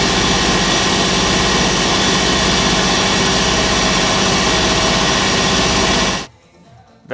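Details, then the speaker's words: Large two-cylinder Backer 111/2 air compressor (custom Backer pump, rated 1560 L/min), bought used, first start before restoration: fast even chugging about four beats a second with airy hiss, no knocks, then shuts off; normal running. "runs like a Beauty"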